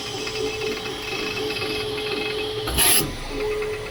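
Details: Creality K2 Plus 3D printer, about a week old and on latest firmware (2025-05-01), printing slowly: steady mid-pitch tone with light scraping and a brief loud whir; owner thinks it sounds different, possibly slower print speed, cause unclear.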